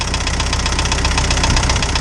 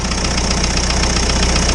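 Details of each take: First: Isuzu 4BD2T indirect-injection turbo diesel in a snowcat, just restarted cold after a new head and exhaust-to-coolant leak repair: steady sharp clatter about four per second over a deep idle rumble, normal for this engine. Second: Isuzu 4BD2T diesel in Spryte snowcat, first start after head replacement for exhaust-to-coolant leak: fast light ticking clatter over steady idle rumble; one valve out of adjustment, new head may need break-in; valve lash noise.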